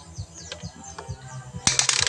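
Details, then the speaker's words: SkyGo 150 scooter with spark plug removed for easy turning; sharp rapid clicking owner thought came from the clutch side, but mechanic suspects the speedometer drive, cable possibly broken, stiff or binding. "Lakas parang may nagtutuktok sa loob. Gusto ng mayari pabuksan yung clutch side. Pero sa tingin natin mga boss dito lang 'yan sa speedometer."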